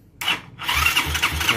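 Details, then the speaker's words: Yamaha Xeon carburetor scooter, electric starter tested with a borrowed good battery after the original battery proved weak: brief starter whir, then the engine catches and settles to an even idle, so the starter motor works normally. "dia muter ya Berarti untuk Satria nih sudah bagus"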